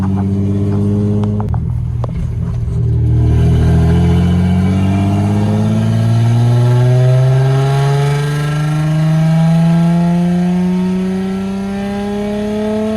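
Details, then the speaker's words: Lexus SC300 driving at about 1,000 rpm after the exhaust broke, with the rear exhaust section off; a loud, deep, booming, unmuffled note climbs with revs like a hot rod. "It is so loud, bro. We're at 1K right now. It sounds like a hot rod, man."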